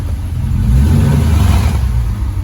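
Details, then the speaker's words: Car started for its first drive in over a year since engine pull: deep, loud open exhaust roar swelling with each throttle blip, no muffling, muffler blown out inside. "Oh, that muffler. Oh well, still sounds good."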